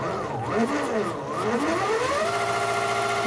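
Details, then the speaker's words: Giant LEGO go-kart motor rated to about 50 V, controlled via receiver and Spektrum DX7 transmitter: smooth electric whine rising and falling with throttle, no rattles or grinding; quiet, smooth normal run. "it's going to be running off of my little spectrum dx7 transmitter let's see what happens it's very nice and quiet and"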